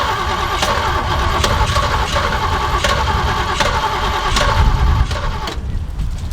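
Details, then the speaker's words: Jeep J10, believed a 1978 with a 360 V8, that sat for years, tank empty with only a couple gallons just added and choke closed: starter churns at about four even beats a second for five seconds without catching; no start from fuel starvation. "well the tank was supposedly totally empty so might take a while to pump it up to the carb"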